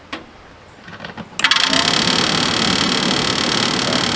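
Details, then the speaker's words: Dometic RV furnace, removed and tested on the truck, fan shuts off after 15-20 seconds: blower starts with a loud rushing roar and faint scraping whir, fan rubbing because the unit is on its side. "Fan's rubbing on something because it's on the side. Don't pay attention to that."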